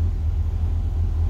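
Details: 1963 Falcon, turbo 2.3L, aftermarket throttle body and IAC: low, steady idle with slight wavering in loudness but no hunting, speed now where it should be. Tuning still touchy as IAC and throttle blades interact.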